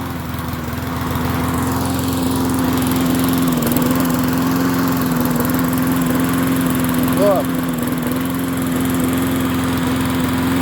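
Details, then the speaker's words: MTD 22-inch push mower 11-A084E029 after priming, holding a steady, slightly hunting buzz with the plug wire off, apparently still catching a spark from the loose lead; running with plug wire disconnected. "I don't know how it was running yeah Lord have mercy I don't know how it was running don't ask me how it was running somehow with that somehow was catching a spark on it"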